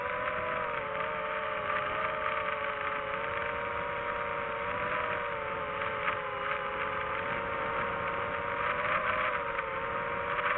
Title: Rattling Sound From Motor.